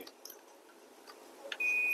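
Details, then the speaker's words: Dell Latitude 5440 with AC adapter unknown fault, multimeter in continuity mode on the charging pin: probe clicks then one steady half-second beep; charging port good, fault later found at blown PL3 inductor. "Yeah. So, the charging port works."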